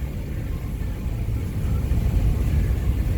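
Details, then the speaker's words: 2006 Ford E-250 service van over very rough road, cab interior, after welding cracked bin mounts and adding foil-backed 1.5in Styrofoam between cab and cargo area: low rumble with thumps, no rattles or banging. "you can actually hear the radio even though it's down low, and you talk over everything."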